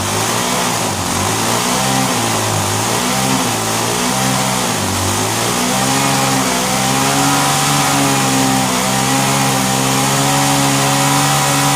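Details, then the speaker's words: Vintage Hot Wheels R1NX gas go-kart small single-cylinder engine, sat about 10 years, restarted after cooling down: putters steadily, idle wandering up then holding high and quick hands-off; fast idle. "All right. One more time. Hands off, kind of a fast idle."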